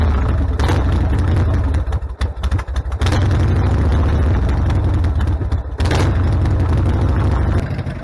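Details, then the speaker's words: 1995 Harley Sportster 1200 cold start idle on choke after carburetor clean and rebuild: lumpy, uneven V-twin idle with deep low throb and a couple of brief dips; cold but running healthy. "so we left the bike we're going to let the bike warm up a bit and then I'll turn the choke off and we'll see how it idles"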